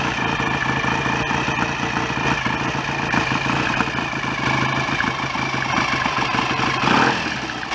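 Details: BSA A65 twin after rebuild, ignition advanced further; even, crisp idle with steady mechanical chatter and a short blip near the end, oil circulating, no smoke. Normal idle.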